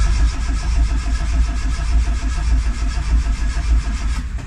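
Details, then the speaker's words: Turbo Tofaş Doğan in neutral: steady starter cranking at about 102 beats a minute that never catches. Crank no start with no spark from the plugs; the plugs are to be removed and replaced with new original ones. "Yok. Çalışmıyor. Buileri sökeceğiz. Sökeceğiz. Bujileri değiştireceğiz. Bujiler ateşleme yapmıyor."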